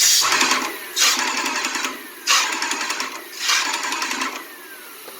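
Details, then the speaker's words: Graco airless paint sprayer after rebuild: pump cycles in clean bursts of rapid strokes, stopping crisply with no hiss from the fluid section and no prime valve leak; normal, ready to use. "we don't hear the hissing from the fluid section we don't see a leak from the prime valve so everything is good this machine is ready to go again"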